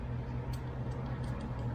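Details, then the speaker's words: iPad 9th generation A2602 during screen (digitizer) repair makes faint, irregular light clicks when tapped. A loose glass shard is rolling inside the housing and is to be brushed out. "can definitely hear a piece of glass rolling around in your tablet if your repair technician was to leave one in there so we're going to make sure we get all that out"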